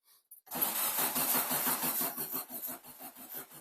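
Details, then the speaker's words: VW Baja Bug that ran hard in the desert, possibly took in water and now won't start, cranked with a helper working the gas: even starter chugs about three a second, one brief pop early, never catches; crank, no start. "I'm just gonna crank until it's on okay yep do it again"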